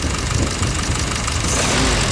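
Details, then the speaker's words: Original Ford GPW Jeep four-cylinder, about 80 years old and never rebuilt, cold: the engine picks up cleanly as the throttle opens, rising smoothly with no stumble or hesitation; the carb bowl has a hole in its top. "Whoa. Very nice. Yeah, there's no hesitation with that whatsoever."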